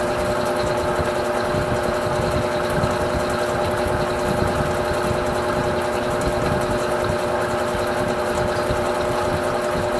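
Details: Electrolux Silent Control 12 kg (LAC12) washer, Normal program with Silent Cycle function, load of light clothes, advanced to spin; steady even motor hum at constant pitch, no knocks or scraping, normal healthy spin cycle.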